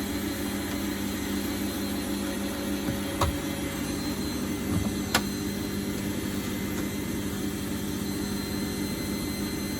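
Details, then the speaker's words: Bosch WFF1800 washing machine, owned 9 years and untouched for about 3, on a lower-speed empty-drum spin: a harsh whirring drone with stray clicks that sounds rough. The owner plans to check the motor brushes; the cause is unconfirmed. "It can run the spin. I've put it onto a lower spin just because for one cycle it won't do any damage to it. Doesn't sound great. I should probably check the brushes once I have it out."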